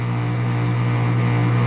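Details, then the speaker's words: Electric moped hub motor that hums but won't drive, after more than 1,000 km of use: a loud, steady buzz and coarse growl as the motor strains; a failed Hall sensor is suspected, possibly a blown controller phase transistor instead. Hall sensor fault. "Это датчик хола отвалился при определённой той же самой ситуации."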